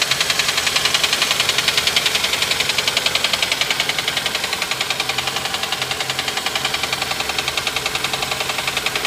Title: Honda Accord 06/ Tapping/knocking Sound